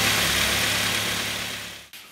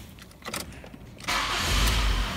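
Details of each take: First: Mk3 Ford Mondeo after the noisy air con compressor fix, all back together: steady, even idle hum with no whine, knocks or misses, then a single click; engine sounds healthy. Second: Mk3 Ford Mondeo with a replacement engine, started up: busy idle with a steady high whine from the power steering side, first thought to be the alternator, traced to the air con compressor.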